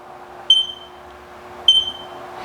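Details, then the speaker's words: Haas OM-2A CNC mill at first power-up after leveling; two short sharp high-pitched alarm beeps about a second apart over faint hum; low air pressure alarm persists, owner suspects it won't power up without adequate air pressure. "so it says that I'll get the servos off and then pressing the reset button a couple times will clear the alarms"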